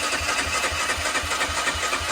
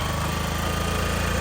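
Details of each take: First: 2004 Honda CG125 barn find, unrun for years, choke on: steady cranking at about four pulses a second that never catches; it won't fire. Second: 2004 Honda CG125 restarted after sitting about 15 years, choke on, needing a little throttle: steady fast single-cylinder putter with even beats and no knocks or misses. Runs normally on choke, and idle speed still needs adjustment.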